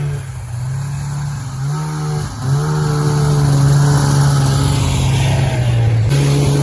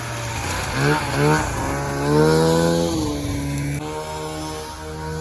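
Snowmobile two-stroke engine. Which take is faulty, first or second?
first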